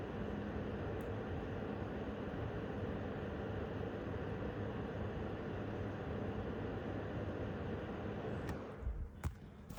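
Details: MSI Gaming X Trio RTX 5090 graphics card fans at 50% speed (about 1,750 rpm) during a benchmark. Steady, even airflow whoosh with no ticking, rattle or coil whine; normal, healthy fan noise.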